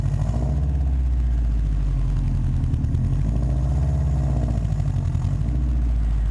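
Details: Subaru WRX at idle, before repair: deep lumpy idle with a fast puffing chuff on each exhaust pulse and rushing turbulence; exhaust leak, likely at the downpipe to cat-back flange, later addressed with a flange adapter.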